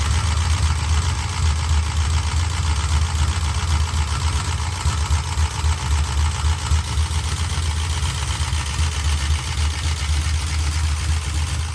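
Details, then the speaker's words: 1968 Dodge Charger big block 440 of unknown cam, fitted with a smaller cam and intake. A deep idle with a fast sewing-machine clatter; lifter chatter from the valvetrain. "I think they're louder than 10 and 12. Should be. So I would try to find out what kind of cam is really in it."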